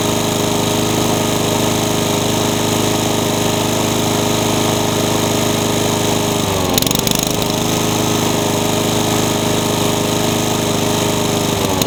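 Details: Honda pressure-washer engine repurposed onto a lawn mower runs rough with an uneven, lumpy beat and a stumble midway. It pumps black smoke as if flooding, likely rich. Two different carburetors and the coil have already been tried without curing it.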